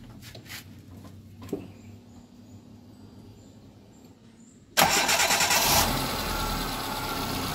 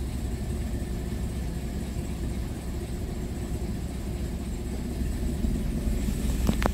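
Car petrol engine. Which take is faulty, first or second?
second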